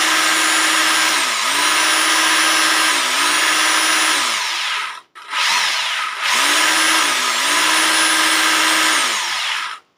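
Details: Rotary hammer drill after home repair (broken bearings, dust seal replaced) test run; motor spins up to a steady high whine, dips and recovers evenly under load, then stops cleanly, no bearing growl: healthy normal running.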